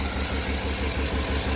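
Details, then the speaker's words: Cammed Tahoe with a DOD delete kit, already tuned. After the exhaust manifold gasket was replaced it is still a quick puffing tick at idle, about six a second, in step with firing. It sounds like leaking air, not metal or rod knock; the gasket was not the problem, exhaust leak. "I'm still certain it's an exhaust leak I don't want to say it sounds like metal like a rod knock or anything like that this is not it sounds like just a leak of air"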